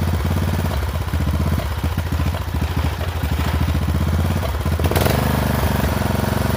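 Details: Poulan XT 12538 riding mower, 12.5 hp single-cylinder, 38-inch deck, carburetor had leaked fuel into crankcase and been replaced; lopes unevenly at idle with irregular beat, then picks up speed, runs rough; owner suspects valves out of adjustment, unconfirmed.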